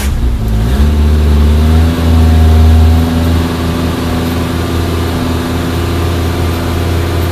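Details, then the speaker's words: Suzuki Samurai/Jimny 1300 SJ413 JA51 just fitted with Toyota Corolla 3K-C 1.2L manual-choke carburetor replacing a Weber; cranks, catches and settles to steady even idle, deep smooth rumble, no knocks, runs well. "yeah it runs pretty good"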